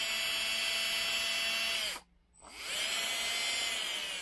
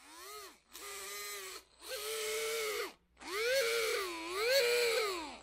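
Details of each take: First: Titan 21-turn 550 brushed RC motor from a TRX4, bench-tested after the squeak fix while still wet inside: smooth, steady high whine with no squeak, spinning down and winding back up evenly in reverse; runs cleanly both directions. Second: Titan 21-turn 550 brushed motor from a TRX-4 RC truck, powered on: short squealing bursts, pitch bending with throttle; motor needs cleaning of dirty brushes and commutator.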